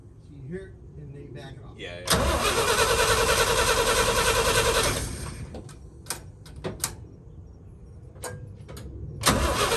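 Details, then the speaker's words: 1966 International Harvester 1100A BG 241 pickup, stored 24 years, new points and battery: cranks, catches and runs with fast even rumble for a few seconds then drops back; engine starts and runs but won't idle yet, fuel system next. "yeah got a gas all right we got it started that's nice big deal woo that's a big big deal"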